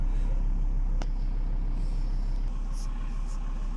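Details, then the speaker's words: Diesel after the injection-pump drive belt was reset and injection timing adjusted (valve load about 15%), now starting cleanly: steady low rumble with a slight characteristic growl, settling into a clean even idle; ideal running. "Двигатель работает вот так с харатерным ему рычанием с небольшим. Это прям вообще идеальная песня для этого двигателя."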